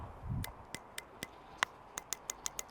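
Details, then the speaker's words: Normal injector clicking from a 2007 Honda VFR 800 fuel injector, bench-tested off the bike before cleaning: the cleaning kit's 9V battery lead pulses it, giving sharp metallic ticks that come quicker toward the end, so the injector opens and closes cleanly. "sure you can hear that clicking so the injector's working"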